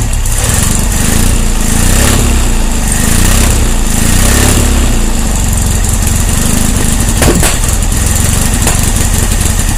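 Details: VW 1600 dual-port engine with freshly rebuilt heads, timing 7.5° BTDC, valves at 0.006: rough, lumpy running with sharp pops backfiring through the carburetor, cause unknown.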